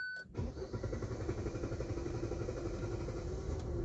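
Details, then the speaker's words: 2025 Hyundai i20 N Line with a late-starting complaint; check, steering angle sensor and TCS lights on: a few beeps, then the starter churns about three a second for several seconds, a long crank. "New i20 2025 model customer complaint వచ్చి నాకు late starting అవుతుంది"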